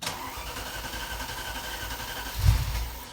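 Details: Hard cold start on a 1987 Ferrari Mondial 3.2 with the engine cold: over two seconds of cranking, then a brief stumble and surge that fades. The cold start injector is not energized; a 7.5 A fuse was replaced, but the owner doubts that fixes it.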